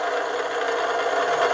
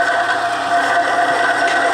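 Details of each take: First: Bearing-and-race friction test machine under added weight, after adding ProLube Metal Guard grease, amps dropping from 5.8-5.9 A; steady even hiss, no grinding or scraping: smooth, quieter bearing running. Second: Bearing-and-race friction test machine, weight added bearing down on race, amps rising from 4.4 to 5.8-5.9 A; steady rubbing hum with high even tone: bearing friction under load.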